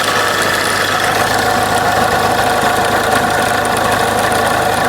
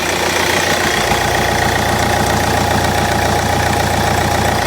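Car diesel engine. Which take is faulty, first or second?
first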